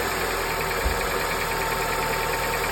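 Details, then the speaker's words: 2006 Honda Accord after replacing the power steering pump's inlet and outlet O-rings, earlier suspected of leaking air and causing whining and grinding: engine idles with an even, steady hum, no whine or grinding; problem gone. "so that is one thing I changed the input and output the O-ring and the problem is is gone"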